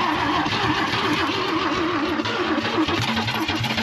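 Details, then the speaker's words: 1966 Chevy Biscayne straight six sitting 20 years, first start with only 12 V to the coil, choke on, gas pumped: steady rhythmic cranking with uneven sputters as it tries to catch; strong starter, nearly firing. "More gas. Works. Man, that starter's champ. Man, that's $1,000 starter."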